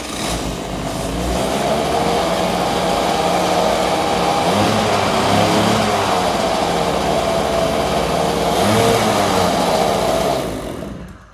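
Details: 1984 Honda Spree scooter, unused for years, after carburetor cleaning and fuel finally working up into it: the small two-stroke screams at a steady high pitch with no throttle input, held near redline. A runaway high idle, suspected fuel-related.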